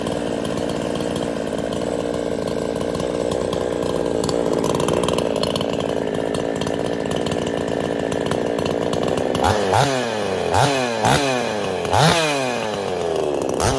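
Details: Craftsman S205 chainsaw, freshly ported, on its first start with the air filter still off: a steady high two-stroke buzz, then several quick throttle blips that rise and fall cleanly. It starts and revs crisply, sounding healthy.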